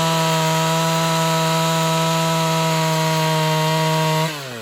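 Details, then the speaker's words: Ported Homelite XL-76 two-stroke chainsaw, previously fuel-starving, cutting wood: steady, high-pitched scream holding even and unbroken under the cut, then winding down cleanly; unexpectedly working properly under load. "well there she is she's actually working I wasn't expecting that so hey I think we're ready to move on and further testing"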